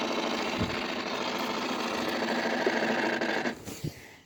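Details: Honda Civic Type R EP3: a fast, steady mechanical ticking buzz from around the battery and fuse box area, then dying away.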